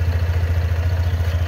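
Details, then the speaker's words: Scooter with about 2,964 km, two months old, warming up at cold idle in the morning: heavy low klotok-klotok thumping, roughly nine pulses a second, from the CVT side; owner unsure whether normal, cause unknown. "ya suaranya aneh di CVT nya hydro cek kuota Klotok Yo ayo ada suara klotok-klotok gitu loh guys dengerin ya"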